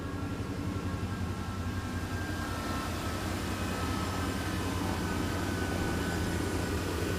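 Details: 1988 Chevy Silverado 5.7 L 350 V8 TBI, after MAP sensor replacement, cold weather: runs fast and steady well above normal idle; high idle from a vacuum leak at the throttle body gasket, fixed by gasket change.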